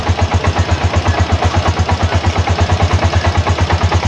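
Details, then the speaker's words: TMX 125 Alpha motorcycle idling after an aftermarket TMX155 gas tank conversion, seat and side covers reinstalled: even, steady single-cylinder putter at about three beats a second, no knocks or misses; normal settled idle. "So, i-start natin para lang marinig nyo na umaandar yung ating TMX."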